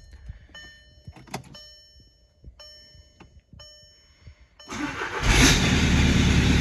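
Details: 2012 VW Golf SportWagen CJAA TDI diesel with 262,000 on original timing belt, previously a no-start, exhaust vented before the turbo: quiet with chimes, then catches and settles into steady even clatter, no knock. Finding: starts and runs with exhaust vented before turbo.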